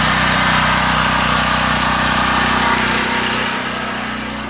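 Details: New Powerhorse 4000 generator just after its first start: a loud, steady buzzing drone holds its speed without surging or misfiring, easing slightly near the end; it is running normally.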